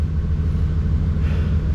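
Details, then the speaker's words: 1992 OBS Chevy truck V8 just after fuel pump and fuel level sender replacement: deep, steady rumble with even beat, no misses, stumbles or knocks; pump and fuel gauge working; normal idle. "So it looks like we got a working pump, looks like we got a working fuel quantity gauge."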